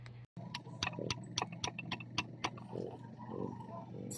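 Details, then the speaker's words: Kymco Visar 110 scooter engine, over five years old, disassembled: sharp uneven metallic clicks about four a second as crankshaft is turned; worn connecting rod big-end with large side play; new clutch parts didn't fix. "At yun na nga guys malaki na ang tunog ng kanyang connecting rod."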